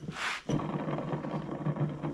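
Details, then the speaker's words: John Deere S240 mower deck after hitting something, loud, cutting uneven, throwing belts: idler pulley spun by hand gives dry, gritty uneven rumble; bearing going out with hardly any grease left. Idler pulley bearing failure. "that's not a good sign. That means that that idler, the bearing, is going out."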